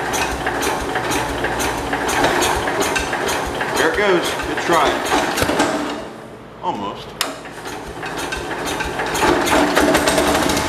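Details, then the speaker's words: 1969 Cub Cadet 105 garden tractor running on a prime: steady cranking chuffs about three a second, then a short catch that drops away; it fires on the prime but won't keep running before fuel goes in the tank. "So it does run. Let's put some gas in the tank and I don't know, maybe it'll start."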